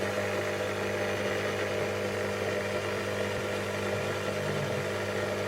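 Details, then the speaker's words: Ferrari 308 GT4 engine coolant pre-heater just installed, leak fixed: steady buzz with low hum from pump at bottom and heating elements at top, warming cylinder head to about 55–60 degrees; normal operation. "a bit of a noise starting to get warm at the top here heating elements in this top bit here and pumps down the bottom"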